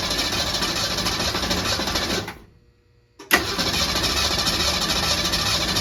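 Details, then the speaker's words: 1966 Ford Mustang after years stored in a barn, gas splashed into carburetor: fast even cranking that stumbles, stops, cranks again, never catches; crank no-start, no spark suspected. "I'm guessing we're not getting any spark right now so I'm gonna have to find a way to crank on it and check for spark at the same time"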